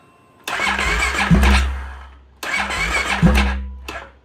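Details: Modified 2016 Polaris Sportsman 570 that had been drowned and possibly had its starter burnt up, tested with wires hooked up. Two roughly two-second cranks, the starter turning steadily but never catching: cranks but will not start.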